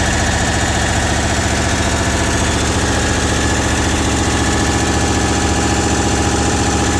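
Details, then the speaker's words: Diesel truck held at raised fast idle, boost gauge reading 23 psi: steady tick nearly two per second over the drone, noticed while towing before oil pressure issues; owner suspects an exhaust leak near exhaust studs under heat shield. "I believe that that's an exhaust leak. I heard it before I had any oil pressure issues."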